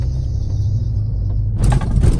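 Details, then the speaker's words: 2016 Kia Rondo 7-seat, 2.0 automatic, test drive over a speed bump: only a dull tyre thump under steady road rumble, no clunks or rattles; underbody/suspension sounds solid, normal. "Ok, chỉ có tiếng lốp thôi quý vị nhé, chỉ có tiếng lốp thôi ạ."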